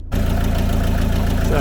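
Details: Peugeot Boxer camper van diesel idling right after an oil, oil filter, air filter and diesel filter service: an even, low diesel clatter with steady beats and no misses or knocks; the engine is idling fine.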